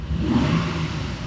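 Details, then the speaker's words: Alfa Romeo 155 V6 just received for restoration, restarted several times after new petrol: short rev blip, note wavers unevenly instead of clean; rough running, owner suspects ignition coils or spark plugs, unconfirmed. "great but the engine is not working correctly maybe it's just ignition coils or spark plugs but it's not smooth"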